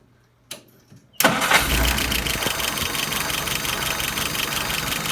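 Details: Engine after repair of a stumble: short crank, catches at once and settles to an even idle of about 660 rpm with about 23 on the vacuum gauge; no stumble or misfire, a normal start and idle.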